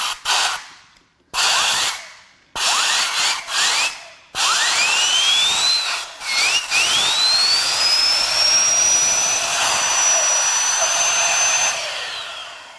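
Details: Turbocharger from a 2016 Ford Focus 1.0 EcoBoost 3-cylinder, 121k miles, engine on teardown stand: short hand spins, then air-driven whine climbing smoothly to a high steady pitch without grinding or rubbing; turbo spins freely.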